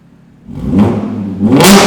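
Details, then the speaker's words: Audi S4 with custom exhaust, X-pipe and resonator delete, rear silencers removed: a quick rev climbs into a hard, crackly rasp at the top; raspy exhaust from the removed rear silencers. "oh it's raspy then isn't it you know what I think it sounds better"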